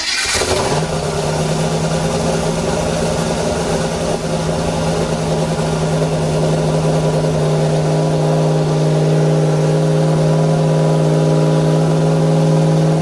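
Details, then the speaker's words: Foxbody Mustang with Holley EFI and ceramic-coated headers, first start after TPS autoset: engine runs but idles very high ("into the roof") and never drops back. Fast, steady high idle. "okay well who it runs that's for sure it sounds way different it's high only into the [ __ ] roof"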